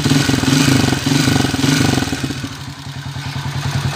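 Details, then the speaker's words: 2017 Smash 115 single-cylinder motorcycle running rough and loud, rattly clatter on each firing pulse, heavy vibration; owner reports it smokes and burns oil, cause not confirmed. "Ito po yung andar ng motor ni boss sabi niya e umuusok na kumakain ng langis Ayan maingay na"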